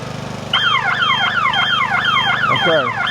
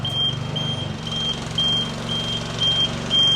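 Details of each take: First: Nifty TM34T 34' towable man lift, at start of basket operation; loud sweeping warble siren over engine drone, about three falling sweeps a second, interlock alarm because one outrigger lacked enough pressure on the ground. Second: Nifty TM34T 34' towable man lift raising the main boom; short steady high beeps about twice a second over low motor hum, normal operation beep.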